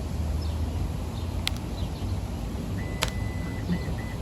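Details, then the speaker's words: 2025 Toyota Tacoma TRD Sport Premium, key fob tailgate button pressed; high electronic tone then two short beeps as the power tailgate opens normally. "And there we go. And the tailgate's opening at this point after after it beeped twice."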